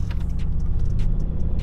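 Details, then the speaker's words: Mitsubishi Evo 8 warmed up: lumpy, stumbling idle with a deep shaky exhaust note, a bad misfire; runs fine cold but dies when warm; cam position and crank position sensor codes stored, cause unconfirmed. "You hear how shitty that sounds? So we are having a really bad misfire right now, and if I pull up the codes, we have a cam position sensor code and a crank position sensor."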